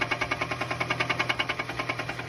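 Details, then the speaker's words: Car that started knocking on a short road trip 30 minutes before reaching home: sharp, even metallic knock about eight times a second over the running engine, bottom-end noise; most likely a spun bearing, not confirmed. "again while on a short road trip this customer's car started this knocky noise 30 minutes before they got home it's most likely a spun bearing"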